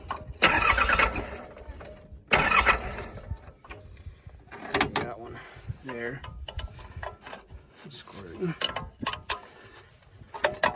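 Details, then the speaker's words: Diesel mini excavator after running out of fuel and changing both fuel filters: two short cranking bursts without catching, turning the engine over to purge air from cracked-open injector lines. "so a couple of these injectors didn't want to pump the air out so if you just break the engine over should make them squirt out get the air out"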